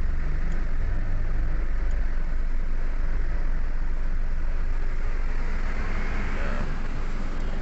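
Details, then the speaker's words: Toyota Wigo after cylinder 2 injector circuit misfire fault, codes cleared and rescanned with none found: even steady running with aircon on, no stumbles; check engine light no longer appears. "So hindi na lumabas yung check engine. Yan. Yan guys. So pumino na, naka aircon na rin yan."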